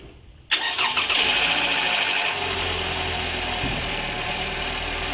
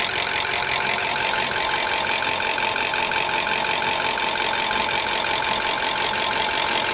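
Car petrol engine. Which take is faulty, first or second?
second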